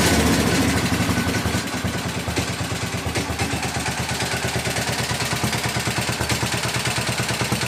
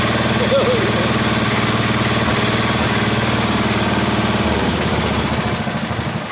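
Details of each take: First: 1961 International Harvester Cub Cadet Model 70 with 7hp Kohler single-cylinder, restarted at half throttle after running: quick tinny rattle about three beats a second over steady idle thump; owner says tank/sheet metal rattling, not engine. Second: 1961 International Harvester Cub Cadet Model 70 garden tractor, 7 hp Kohler single-cylinder, first start in years on starting fluid after sitting: steady, even thump at fast idle, no misses or knocks; runs normally.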